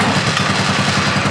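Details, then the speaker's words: Fox Carbide 150 go-kart with GY6 engine, below-freezing cold start after starting problem fixed: single-cylinder catches easily, quick even putter without misses; normal cold start. "Oh man, that fired up. Fired up easy."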